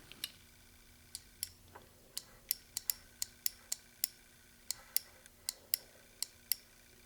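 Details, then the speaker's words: Relay bench test: power and ground applied to the coil give crisp, sharp clicks about twice a second on a quiet bench; the relay switches cleanly and works normally. "I'm going to give it a power. I'm going to give it a ground. You're going to hear it click."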